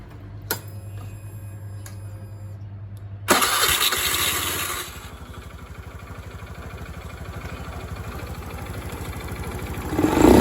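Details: Honda Scoopy i scooter after ECU replacement, previously hard to accelerate with a ticking noise: engine starts, settles into a steady even idle and revs cleanly in short bursts, back to normal.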